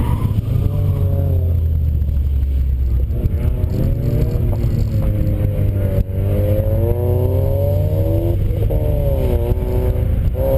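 Deep exhaust note rising and falling with the throttle, with an uneven, stumbling beat underneath; sounds like a misfire.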